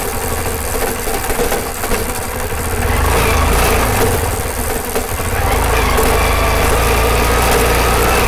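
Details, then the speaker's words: Karizma motorcycle on a rough road: loose, tinny knocking about four times a second over road rumble and engine, coming from near the chain; a chain cover rattle, with the cover not seated in its slots. "मतलब चैन के पास से ज्यादातर यह आवाज़ आती है तो मुझे लगता है कि जो यह इसका ट्यूब चेनल का जो कवर झाल वह कवर से यह डाकुओं ने मतलब सुनाई देती है"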